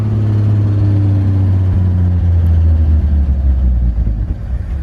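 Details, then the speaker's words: 1963 Chevy C10 pickup, first start in years after sitting in a field, cold: steady fast idle whose pitch drops as the choke is brought down, then settles lower; exhaust leak also noted; high idle, choke set too high. "that the idol is a little high i'm gonna just try to bring this choke down a little bit you want to slowly bring it down"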